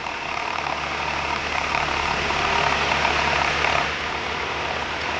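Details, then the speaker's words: Car at speed: steady low hum under road and wind noise, growing louder as speed rises; likely a worn wheel bearing, not confirmed. "一般我们车辆这种嗡嗡行驶，特别是随着你车速越快，嗡嗡声越大的话，多半就是这个轴承问题。"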